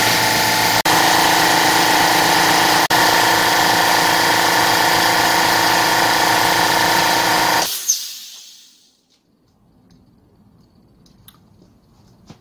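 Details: Low-noise oilless compressor after repairing an air leak, test run: even strong motor drone for about eight seconds building pressure, then cuts out cleanly; pressure rises properly, healthy.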